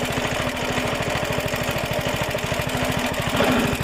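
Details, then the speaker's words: Suffolk Super Punch 17" cylinder mower, c.70 years old, SIF 75cc cast-iron two-stroke single, after carb and points clean, drive engaged: brisk even popping at steady rate, no misses or knocks; healthy running. "a lovely little sound like a cracked little engine when I went our chicken dinner super happy about little Suffolk super punch I didn't think it's gonna run as well as it did"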